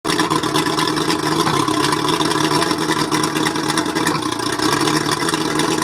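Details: Mercury 135 outboard idling roughly, steady beat broken by uneven stumbles and dips; misfire, owner suspects the spark plugs.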